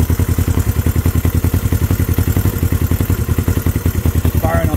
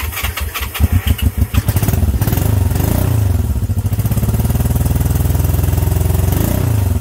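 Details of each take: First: Honda CB350 twin, first start in 13 years, choke off: even lumpy idle about three and a half beats per second on both cylinders, steady loud exhaust pulses; normal idle, points still due replacement. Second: Honda CB350 twin, first start in 13 years: a few sputtering catches, then a lumpy, lopsided idle firing on one cylinder only.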